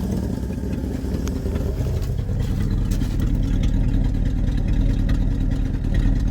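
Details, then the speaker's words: 1974 Ford bumpside 1-ton, FE 360 with a rebuilt Motorcraft 2-barrel after idle adjustment: low, mostly steady V8 idle with an occasional stumble, a slight miss; hasn't run since November, so it may clear up. "It has a little miss in it. Remember, it hasn't been running since November too, so it might just need to kind of come around a little bit."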